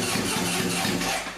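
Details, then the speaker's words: 1978 Honda CB750K barn-find after engine rebuild, first start attempt with makeshift choke cable and extra fuel: catches for about a second with uneven stumbling firing pulses then fades out; rough sputtering cold start, float bowl fuel leak found afterward. "I'm gonna give it some more fuel. It's so close. It wants to go."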